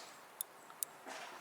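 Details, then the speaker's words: BMW K75 motorcycle rear brake light switch removed and heard up close: two crisp clicks about half a second apart as the switch snaps over cleanly; the fault was the tab sticking in its casting recess, fixed by cleaning. "now I'm not 100% sure if you can hear this a little bit closer you can hear the switch actually clicking"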